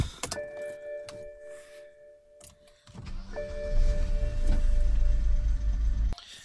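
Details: 2008 BMW 528i E60 started with the IBS sensor disconnected from the negative battery terminal: two dash chimes, a short starter whir, then the engine catches into a steady low rumble; it cranks and starts normally.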